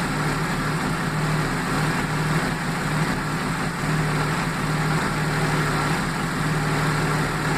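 Inline-six idling with a low, uneven lope and periodic dips in the steady hum; sounds like a cylinder misfiring at idle.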